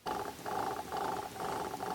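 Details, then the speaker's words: BMW E34 secondary heater water pump tested after the heater valve solenoids were shown working: small electric pump whirs in rough, pulsing bursts about twice a second, like something jammed inside, though it spins; cause unconfirmed. "now let's try the pump while the pump is working sounds like there's something jammed in there but it is spinning"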